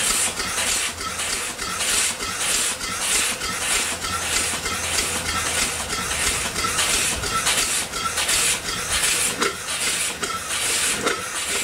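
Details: Upright steam engine that sat for years, rebuilt and test-run at only about 30 psi boiler pressure. Steady chuffing about twice a second with a sharp pulsing hiss each stroke: steam leaking past the valve rod packing.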